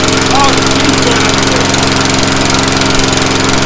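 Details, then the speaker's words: Craftsman mower running on fuel from its own tank with the clamp refitted: steady, even drone at a constant speed, muffled with no harsh exhaust crackle and much quieter than before; it runs like a normal mower. "Alright guys, now that sounds like an actual mower. It's not freaking ear-piercing loud."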